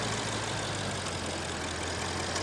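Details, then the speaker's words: 2015 BMW 650i (TwinPower) at idle, cold start: a busy, crisp metallic rattle rides over a steady idle, loose from the front of the engine; suspected loose timing chain, unconfirmed, and the engine was shut off quickly. "yeah I think that's the timing chain I don't think that's a nice sound at all so we're going to turn that off before something goes bad"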